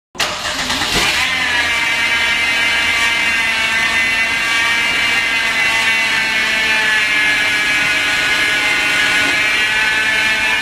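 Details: 2011 Hyundai Genesis whose customer suspected a failing power steering pump; steady high-pitched whine holding pitch over the engine; actually a worn idler pulley bearing and belt.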